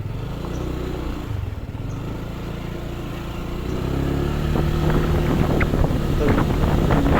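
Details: New Honda Stylo scooter, under 300 km, test ride after securing a part that made a metallic rattle from the rear on throttle; smooth pull from low beat to higher drone, no metallic rattle or buzz.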